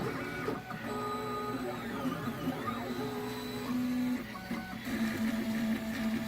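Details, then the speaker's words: Stepper motor driven by a genuine Pololu A4988 driver, compared against a clone: clean steady whine with pitch stepping as moves change, over background music; running smoothly. "here's a look at what a genuine Pololu a4 988 sounds like and what temperature that it runs at"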